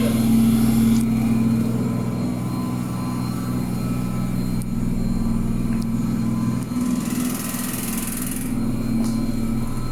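Loud, steady droning hum with a deep rumble underneath, constant throughout; this washer runs far noisier than it should, cause unclear.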